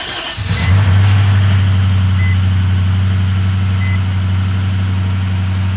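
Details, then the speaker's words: Infiniti M45 after an engine swap, fluids checked: it catches quickly on the key and settles into a steady, even low idle with no knocks or misses, though warning lights show; it sounds healthy, with no smoke. "and smooth a bunch of warnings but hey iran's on SiriusXM"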